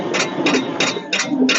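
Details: 1946 International truck sat about 50 years, marvel oil poured in the cylinders: steady cranking with about three hissy puffs a second from the open cylinder, no firing; compression readings about 25 to 60, low compression.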